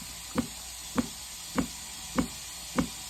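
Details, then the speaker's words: Uni-dose chlorinator diaphragm pump, dose turned up: deep, even knock about a hundred times a minute, a little deeper than before, steady and unchanging; the diaphragm stroking normally, owner usually keeps setting around 55. "you hear how it's a little bit deeper now let me turn it all the way down"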